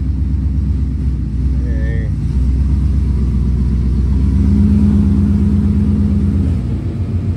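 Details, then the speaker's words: 2015 Ford Mustang GT V8 idling after a cheap replacement A/C compressor clutch was fitted: a click, then a steady low hum joins as the clutch engages; A/C working normally. "So AC is working. I'll go outside the car and make sure that the clutch is engaged, but I can hear it clicking."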